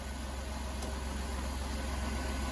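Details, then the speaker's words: Van with repaired 400 engine, about 420,000 km, just back together after mechanic's work; smooth steady quiet idle like a purring kitten, no ticks, knocks or misses, quieter than when it came in, little or no smoke. "oh my goodness me it sounds like a a purring kitten I don't even hear a tick that is surprisingly quiet"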